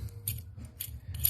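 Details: Old clutch throwout bearing removed from an engine with possibly 200,000 miles, spun by hand: gritty, rattling scrapes in bursts from the worn bearing; the new one is silent.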